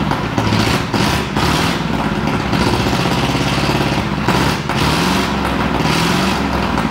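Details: 1937 Ford flathead, 6-volt system, sat a year, 97 carb, running on battery alone: uneven idle stumbling and dropping out every second or so; missing, owner suspects low voltage (maybe 5 V), blowby noted.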